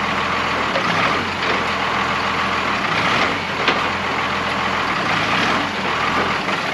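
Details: Old Oshkosh airport plow truck repowered with Cummins 6BT diesel, first run after 10+ years sitting: loud steady rush of escaping air over idle as pressure builds; air brake line leak to be fixed.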